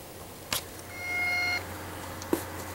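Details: PS4 making intermittent buzzing, clicking, zapping noise at random times, in games and at the XMB main screen, with no apparent effect on the system: sharp click, brief high electrical buzz about half a second, another click.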